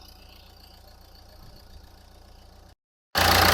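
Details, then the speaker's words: 2010 Nissan Qashqai+2 1.5 dCi K9K diesel, 217,000 km, six-speed: quiet, even idle with soft steady beat, no misfire, knock or smoke; a loud rustle at the very end; normal idle. "Мотор працює тихо, рівно, не димить, не троїть."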